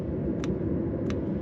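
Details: Autoterm Air 2D 2 kW diesel air heater, fuel pump mounted at manual-specified angle: sharp single ticks about two-thirds second apart over soft fan rumble; metering pump clicking at correct rate, no issue found.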